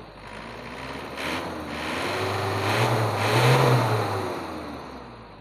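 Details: Isuzu Panther diesel after Bosch distributor pump regulating valve setting: revs smoothly from idle to moderate and back, pitch rising and falling evenly, no knock; adjustment sounds right.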